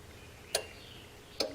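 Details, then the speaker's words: Datsun 260Z with a modified 1976 280Z harness, key on and wipers set to fast: two crisp clicks about a second apart as the windshield wiper relay switches on and off; the relay works normally. "You can kind of hear it kicking on and off there. So, that's working. So, our windshield wiper relay is working okay."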